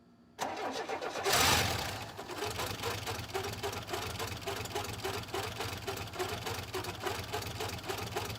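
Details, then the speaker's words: 1984 Buick Grand National, first cold start in 28 years after air filter cleaning, MAF reconnection and a blown injection/fuel-pump fuse replaced: cranks, catches, then an uneven, loud, lumpy idle. Rough running after long storage. "[Music] it doesn't sound great but at least it runs 28"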